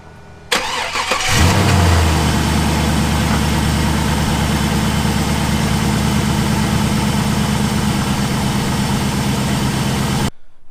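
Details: 2002 Pontiac Firebird LS1 started after replacing the A/C drive belt, checked for wobble or squeal: a quick crank catches at once and settles into an even, steady idle with no belt squeal or chirp; a healthy start.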